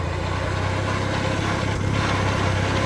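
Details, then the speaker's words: Old $500 formerly locked-up tractor moving in second gear in sub-freezing weather: low, uneven rumble and churning from the transmission; owner suspects diesel was put in the gearbox instead of gear oil. Rough transmission noise. "This transmission here sounds pretty rough, but come to think of it, I think I got diesel in it."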